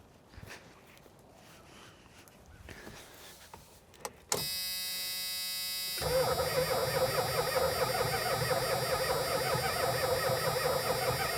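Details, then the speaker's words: 1983 Dodge Diplomat police car sunk in a collapsing barn for at least 20 years, engine not locked up, likely needs carburetor rebuild: starter cranks engine steadily without binding; oil pressure light goes off while cranking, so it has oil pressure. "The oil pressure light goes off when you're cranking it. So, it must have oil pressure."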